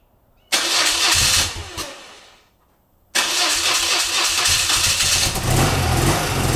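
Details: BMW R100GS Paris Dakar flat twin on its first start after engine reassembly. It catches, stumbles and dies, then runs with a lumpy, uneven beat: rough running that the owner suspects comes from carb tuning and unsynchronised carburettors.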